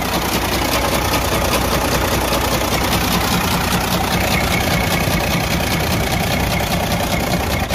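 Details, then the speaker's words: Detroit DD15 diesel running with loud steady knock from the front of the engine; teardown found the connecting rod bearing destroyed and out of place, letting the connecting rod move around. "and the connecting rod was actually just moving around and that was the reason why I was making that loud noise when the engine was running"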